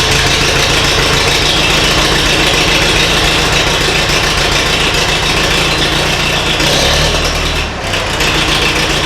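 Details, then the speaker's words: Mid-1970s International 2510B loader tractor, six-cylinder ~60 hp diesel, cold, after starter repair: starter turns the engine briskly at an even pace until it catches near the end; starter engages the flywheel cleanly. "so let's see if this old see if this old tractor will start up it's cold but"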